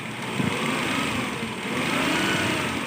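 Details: Maruti Omni petrol engine running with a rough, uneven rattling hiss and faint high chirps from a worn fan belt; belt noise fixed by fan belt replacement.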